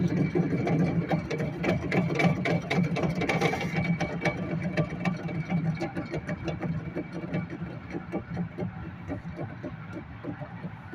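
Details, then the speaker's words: 2010 Chevy Impala, brake assembly removed, hub spun by hand: rough grinding rattle, slowing then respun, from a bad wheel hub bearing that caused a loud humming while driving; tires and rotor already checked. "but that's how you know your uh wheel hub bearing is bad just take apart your entire brake assembly and just free spin it"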